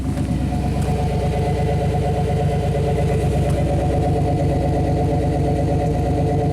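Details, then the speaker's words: GM throttle-body-injected Chevy truck (5.7L), last swapped ASDU PROM chip: idle hunting around 1,000 rpm, wavering up and down. The O2 sensor oscillates and block learn is 108; the problem persisted with all three chips tried, cause unresolved. "Unstable. RPM's at up at 1,000. Open loop, closed loop. You know, the oxygen sensor is actually oscillating, I guess."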